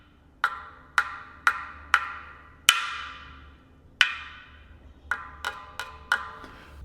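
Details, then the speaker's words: Roval Terra C carbon front gravel wheel, bead wall chipped on a steep descent: sharp resonance taps around the rim ring bright, but over the damaged bead they die quicker and duller; mechanic advises not riding it. "So what you want is on these carbon wheels, you want it to be the same throughout the wheel, more or less. So if you listen really carefully, you can hear when I hit this spot where the damage is versus the rest."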